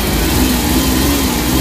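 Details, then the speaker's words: Suzuki Big Eye DA64/DA52W minivan, after an electrical repair for vibration and shut-off at idle with AC on: steady, even idle holding its speed with the aircon on, no dip or shake; the idle is healthy. "Ngayon mag-aircon tayo. Okay. So hindi nagbago pm natin. Bukas ng aircon."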